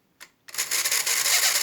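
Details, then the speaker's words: 1960 tin toy VW Beetle, drive run lifted off its wheel so gear slack isn't taken up: thin, high, ragged buzzing whirr; gearing slipping instead of gripping, needs fixing. "what now happened is uh is a slippier and then so i need that to fix that"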